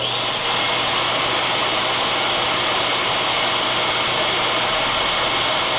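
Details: Dyson vacuum with a non-working roller brush, brush motor loose on the bench, pulsed on: spins up quickly to a steady high whir with even pitch, no rattle or dropouts; brush motor itself works.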